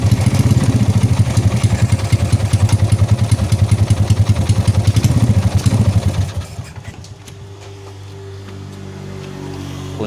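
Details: 2004 Yamaha Jupiter Z after a breakdown with lost ignition from a failed ignition component, refilled with oil: the single-cylinder runs with a quick even beat for six seconds, then settles to a quiet idle; it runs normally.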